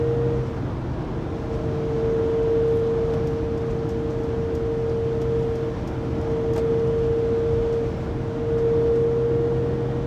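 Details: 2020 Pleasure Way Plateau FL (2019 Sprinter 3500XD) recorded by phone at 80-90 km/h: loud steady drivetrain whine over road rumble, persisting after drive shaft and differential replacement; cause undetermined.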